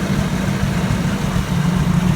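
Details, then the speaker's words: 1984 Toyota FJ60 2F, de-smogged, OEM exhaust manifold, aftermarket carb, points ignition: low, steady, even idle with no misses, knocks or hunting; nice clean idle, though throttle sticks slightly and owner may need to retime it. "i'm gonna have to get a spring on that throttle it's sticking just a hair nice clean idle idle i'll probably have to retime it"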